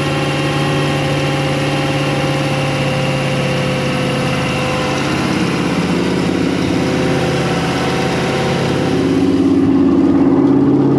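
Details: New built 350ci Chevy V8 in a 1991 Malibu Competition ski boat during break-in: oil pressure good, manifolds normal temperature, oil level fine. A steady, even drone holds constant pitch, then eases slightly as it's backed off. Normal fast idle.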